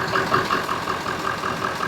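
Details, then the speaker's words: Ford F350 7.3 Powerstroke diesel, body removed, diagnosed for hard start/long crank; after starting via jumper wire to starter: steady, even idle thumping about five or six beats a second, no misses or stumbles; smooth idle. "running smooth isn't it"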